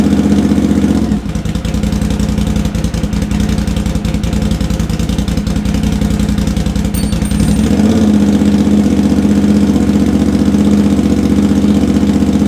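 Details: Honda GL650, first start after a full rewire, stock headers with crossover, merge and Cone Engineering muffler; starter cranks about six seconds, then it catches and settles into a steady, even idle, paint and wrap smoking off; healthy.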